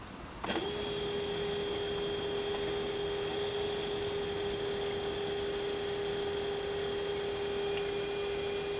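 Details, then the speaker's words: 2006 Toyota Prius coolant bleeding, final stage: electric coolant pump holds steady mid-pitched hum with no gurgling, no bubbles at bleeder, funnel holding 2-3 cm coolant; system nearly bled, normal. "It's looking pretty good. Not really hearing any bubbles at the bleeder, and the level in the funnel is still, there's still about 2 to 3 centimeters of coolant."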